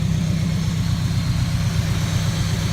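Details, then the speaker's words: Rebuilt junkyard Nissan 240SX (S14), first start-up after replacing blown EGI fuse: steady, even low idle with smooth rumble, no knocks, ticks or belt squeal; healthy. "sounds [ __ ] beautiful sounds better than any other s14"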